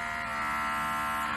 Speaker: this on/off switch operates the vacuum pump that'll have a vibration noise to it all that is normal it's what happens and you're going to hear a nice little drone in the background of the video